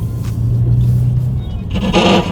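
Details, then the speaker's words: BMW F80 M3 (S55) on new Fortune Auto coilovers and 20-inch wheels, driving slowly: low road rumble with a rough scraping rasp coming and going; tire rubbing on fender. "Ah. Yeah, we definitely gotta fix that. I'm not keeping that noise around. Dude, this sounds horrid."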